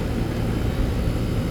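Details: AC condensing unit running normally after a bad dual run capacitor was replaced (universal Turbo 2000) on a no-cooling call: steady, even low hum from compressor and fan, no rattle, buzz or stutter. Compressor had overheated; it now draws about 10 A, the condenser fan about 1 A.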